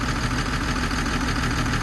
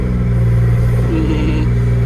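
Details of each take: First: Old 140 excavator diesel (Mark 1 LC) just fixed and running cold, probably unserviced for about three years, after a simple fuel fault (not high pressure): steady idle with a slight miss, no heavy knock. The mechanic puts the miss down to cold and age. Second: Old 140 digger diesel, hard to get running: raspy chuffing edge over low drone when revved; mechanic suspects cracked welds on the four-bolt 90° elbow after the three-into-one exhaust manifold; suspected exhaust leak, unconfirmed.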